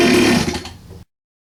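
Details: 47cc Chinese pocket bike, started with fuel line open, choke on and some throttle: a high buzzing run sags and fades within a second, then goes silent as the engine bogs out and dies. Blocked carburettor jet is possible, suspected not confirmed.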